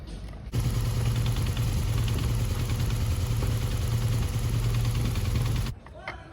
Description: Observed main reason of rattling sound for R1200 air cool engine